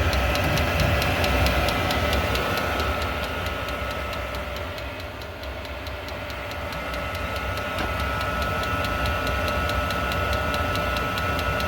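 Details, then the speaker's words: Diesel heater after a full teardown and deep clean of heavy soot (mixed fuel sources suspected as the culprit): steady burner roar with an even fuel-pump tick about 3.5 per second and slight smoke; it runs healthy. "Now it's really giving a good run. Again, a little bit of smoke, which is quite normal."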